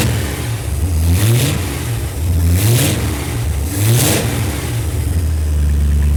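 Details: Restored Ford Galaxie 500 V8, timing 15 initial, 36 total; steady low idle, three clean throttle blips toward almost 3,000 rpm, no misses; alternator charging 14.6 V: normal start and revving.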